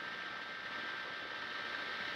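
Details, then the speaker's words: Packard Bell PC after its broken power supply was replaced: a quiet, even whoosh of air from the PSU fan with a faint steady whine and no ticking or rattle; the fan spins smoothly. Normal PSU fan running. "and as you can see that's howling around quite nice"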